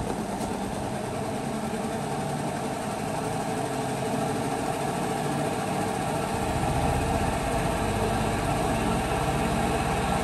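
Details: LG WP-1650ROT washer after repair and reassembly, spinning wet cloth: a steady motor hum with a smooth whirring rumble building as the tub speeds up. It is stable, with no more knocking.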